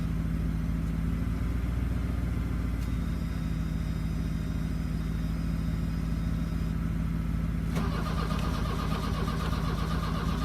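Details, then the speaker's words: 1982 VW Vanagon Westfalia after new glow plugs: slow, steady cranking that never catches or fires. Crank, no start; owner suspects a fuel delivery issue. "i think it's a fuel delivery issue"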